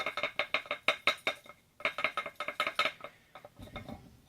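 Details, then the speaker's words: Opened refrigerator compressor shaken by hand: light metallic clinks in quick bursts from internal springs sitting on four pins; normal, nothing wrong. "That noise is the noise that you can hear like this. It's normal because the springs are on top of those pins, and you can hear that noise."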